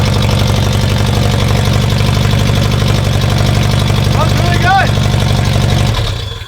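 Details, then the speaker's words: 1984 VW T3 bus with 2.5 engine swap, first start after wiring: fires right up, settles into an even steady idle with no stumbles or misses until shut off; runs nicely, though a fuel leak was then found. "that runs mint no fire's right up runs nice idle's nice sweet"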